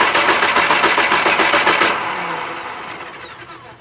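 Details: 2000 Nissan Frontier XE 2.4L: starter turns engine steadily about three to four beats a second for two seconds, never catches, spins down; crank, no start.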